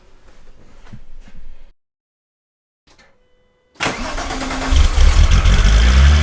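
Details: VW Golf Mk3 VR6 Syncro after its fuel injectors were cleaned on a homemade test bench (cylinder 4 injector suspected stuck before): cranks, catches and flares, settling into an even idle that sits a little high; running noticeably better than before.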